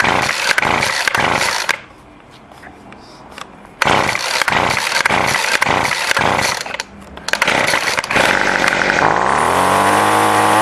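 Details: Weed eater after carburetor adjustment: the small two-stroke pops to life, buzzes at high revs, then drops off and picks back up cleanly on the throttle. Running properly.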